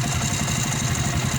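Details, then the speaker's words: 100/110cc motorcycle engine at idle, strange noise heard mid-ride from right side of engine: rapid rattling whir mixed into beat, like tensioner and propeller, sometimes knocking; cause unclear. "right side ng makina ko. Yan, ganito ang tunog niya. Nagalo-halo na yung tunog niya. Tensioner tsaka yung parang propeller yung tunog."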